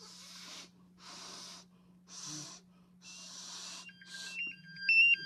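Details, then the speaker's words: MSA Altair 4X multigas detector in abnormal test reading 18.8% O2, red lights blinking, sounding rapid high chirping beep bursts then a steady electronic tone; low oxygen alarm. "you can see right now it's reading 18.8% o2 and it's starting to come up now that I've returned it to normal and you can see the little lights on the thing a blinking red and it's making noise"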